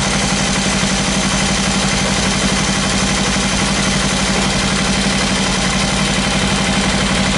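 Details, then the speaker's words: Kawasaki Ninja 300 Panasonic brushed radiator fan motor, repaired after a stuck brush left an open circuit, running with the engine idling: a steady low fan hum with no scraping or rattle, a healthy fan. "motor do ventilador da Ninja 300 muito bem feita Panasonic [Música] aí pessoal ligou o ventilador"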